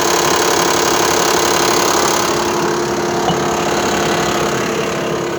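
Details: Mitsubishi Pajero 4 3.0 on arrival at the parking lot: loud steady idle with a regular knocking beat of about four per second underneath. Engine knock at idle, cause not yet clear.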